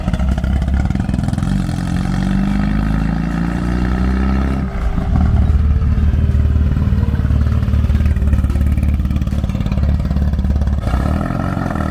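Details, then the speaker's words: 1972 VW Super Beetle, reportedly recently rebuilt engine with big cam, after new points and spark plugs replaced worn points: even flat-four pulls cleanly through revs without stumbling or first-gear chugging; running better. "I just took a little ride around up there, and you can definitely tell that it's running better."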